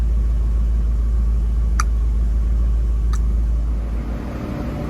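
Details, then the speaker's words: 1966 Ford Mustang convertible on a cold start. It catches and settles to a steady choke high idle of about 1600 rpm, with a deep rumble that steps down near the end. This is a normal cold-start high idle. "Nice high idle. And it actually steps down."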